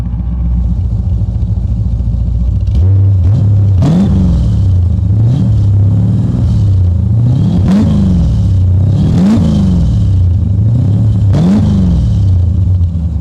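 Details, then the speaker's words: 1985 Chevy Corvette C4 V8 with Hooker Super Competition headers and Super Turbo mufflers, accelerating on the road; deep rumble swelling in surges, heavy exhaust drone under throttle, raw-fuel smell from exhaust noted; loud drone. "pretty bad drone when you're getting on it down the road man these mufflers they don't sound particularly loud right now but let me tell you something when you get on the gas she's a lot"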